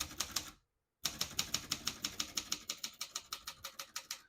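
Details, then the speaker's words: Serviced 1972 Consul 231.3 portable manual typewriter: crisp even key strikes about three per second, none skipping or sticking, light and smooth action; working properly. "you can see, all the keys type nice and none of them skip or stick."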